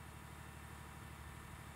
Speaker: so there's this tiny little fan in here which sends air up around the cylinders to cool it and it makes a hell of a noise because that fan goes really fast straight off the uh off the crank Shar there